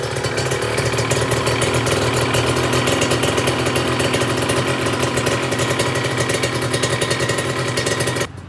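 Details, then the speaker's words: Kawasaki Ninja 150 two-stroke at idle, air filter fitted: busy idle with fast uneven metallic rattle over exhaust beat, seemingly from the cylinder head area, not the filter or exhaust; source not confirmed. "Oke, ini suara langsamnya teman-teman, kayak ada suara ngorok ngerek."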